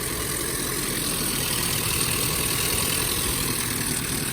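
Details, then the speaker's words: Japanese mini truck first start after rebuild with new timing chain cover; lively idle with a light fast tick, possibly slight timing chain rattle, tick less than before rebuild; cause not pinned down. "i'm hoping it uh it still sounds kind of vibrant but that sometimes that sounds more like timing scene rattle than it did before i think our tick last time was way worse"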